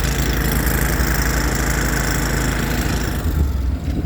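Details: 2019 Ford F550 service truck, 111k miles, Enpak welder/generator just started: steady, even low engine drone with no knocks or misses, running normally.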